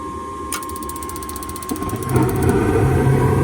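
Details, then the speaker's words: Rheem gas furnace with a low-voltage short, heat call: steady tone, quick ratcheting igniter clicks, then burner rumble builds and holds steady; lights and runs normally in heat mode. "There she goes. So I'm going to go ahead and wait for the fan. Just make sure nothing on this board is causing it, at least in the heat mode. She's running."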